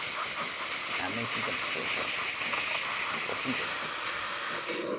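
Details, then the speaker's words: DeLonghi Magnifica espresso machine after tune-up and deep cleaning of milk residue: steam wand gives a strong steady high hiss with slight pulsing, pushing water into the thermos at good pressure; working properly. "as you can hear it is pulsing and pushing water into the thermos"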